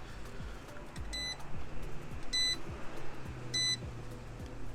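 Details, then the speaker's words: Car battery/alternator tester connected with its clamps reversed (positive and negative swapped), car off: short high beeps about every 1.2 seconds and the last light on the right lit, warning of wrong polarity. Reconnecting correctly fixes it. "Cuando hagan ese ruido y la luz última está prendida al lado derecho, quiere decir que están conectando mal los cables."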